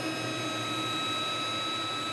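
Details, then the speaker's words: 1977 Camaro Z28 at idle after running a while: the radiator fans kick on with a steady whir and even high whine over the idle, and the overflow worked; normal cooling fan operation. "that that's the fans yeah BP said he saw a little green there so the Overflow worked"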